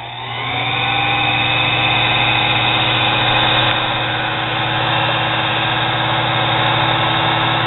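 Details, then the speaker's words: Nano lathe motor tagged 110 V, run through a controller from a Variac at 100–110 V, warmed up after about 15 minutes with bearings still a little warm. Steady hum with a smooth, even whine, no surging or rubbing; normal running. "been running about 15 minutes everything's warmed up still a little warm to the bearings"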